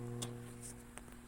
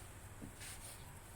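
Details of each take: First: Konzert 502 amplifier with speaker connected, DC output reading zero; low constant mains hum with faint clicks, previously repaired unit. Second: Konzert 502 amplifier after cleaning shorted components to cure hum: idles almost silently with only faint hiss and low room rumble, no steady mains hum.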